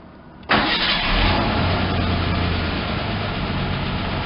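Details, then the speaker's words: Ford Ranger pickup started for the first time in about 8 years, after a fuel pump was fitted and a loose connector fixed: fires promptly, fairly steady low note, slightly hesitant at first. Owner suspects a plugged fuel filter or old gas. "and as you can hear it is running a little hesitation there could be some a plugged fuel for filter or uh you know just old gas or whatever what have you"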